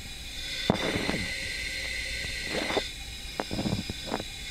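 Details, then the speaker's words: Yamaha YZ 250F four-stroke motocross engine after valve adjustment and rebuild with correct ring end gap; leak-down test with hose from ignition-side crankcase to mic: faint steady air hiss, normal slight blow-by past piston rings. "pour le sifflement qu'on entend à l'intérieur du carter s'est pas forcément étonnant c'est l'air qui arrive à passer à travers les segments même si on a le jeu à la coupe qui est parfait qui a été fait dans la vidéo du remontage moteur"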